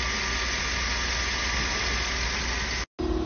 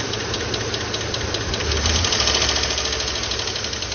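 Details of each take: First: 2012 Chevrolet Tahoe petrol engine idling hot after repair: steady, even idle with a smooth low drone and no ticking or tapping; normal healthy engine, oil pressure good. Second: 2012 Chevrolet Tahoe petrol V8 at idle: quick, light lifter ticking. It fades and disappears when rpm is held at 2000–3000 for a minute or two, indicating a weak oil pump starving the lifters.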